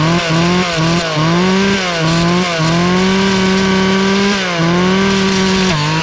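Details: Free Poulan 2450 chainsaw, 2.3 cu in, 18" bar, restarted; the owner suspected an earlier noise came from the recoil or bearings. A buzzy two-stroke tone climbs and dips with throttle blips, picks up crisply and holds steady with no rattle. Normal running.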